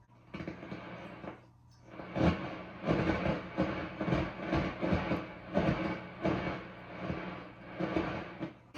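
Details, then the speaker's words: Peavey 6505+ tube amp that sat unplayed: irregular crackling static and pops over a steady hum as the volume or EQ knobs turn, caused by dirty, scratchy pots. "or quiet for a tube amp, you can only try to turn it up a little bit, those pops and cracks can be fairly loud."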